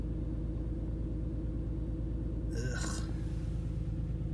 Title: P0306 Code 2005 BMW 325i E46 Ignition Coil Pack Replacement Rough Idle Misfire Cylinder 6 FIXD obd2